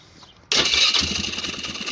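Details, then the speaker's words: Polaris Sportsman 500 HO ATV with a crank-no-start after re-crimping a loose ignition wire connector: it catches at once and settles into a steady, even idle; starts and runs normally, and it charges the battery. "HEY, LOOK AT THAT. FIRED RIGHT UP. THERE, IMAGINE THAT when you get a proper IGNITION SYSTEM."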